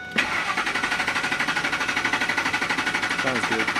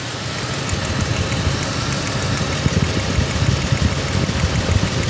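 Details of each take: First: Ford F-150 with waste spark ignition, misfire persisting after coil replacement, cranking with pedal to floor (clear flood) for compression check: steady even cranking, about eight pulses a second; compression sounds good and balanced. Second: Ford F-150 waste-spark ignition with a misfire after coils were replaced, idling; mic held close near cylinder six: sharp irregular snapping crackles over a rough idle, secondary ignition arcing, a spark issue.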